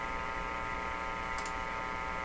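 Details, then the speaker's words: Canadian Viking EMU61 AC/DC tube tabletop radio at first power-up through an isolation transformer and bulb limiter: a steady, buzzy mains hum drones from the speaker without letup; the source is not yet traced. "I listened to that humph so we got to track down what that hummus I'm gonna get rid of that crazy home"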